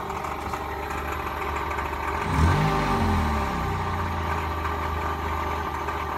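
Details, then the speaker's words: 1999 Toyota Corolla 1.8 idling: steady rapid knock resembling rod knock, traced to the power steering pump pulley. "I actually ended up finding another video on YouTube of this exact same engine exact same year I think actually and uh down in the comments the person who uploaded the video said that it was indeed his power steering pump pulley"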